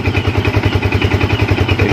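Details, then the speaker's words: Yamaha Vixion motorcycle showing MIL code 46, started before electrical checks: even, steady thumping idle at about six beats a second with no knocks or rattles; the engine runs normally. "Oke kita coba hidupkan terlebih dahulu ya kita coba hidupkan terlebih dahulu Apakah motor ini normal ya hidupkan Oke untuk hidupnya Ya seperti ini ya"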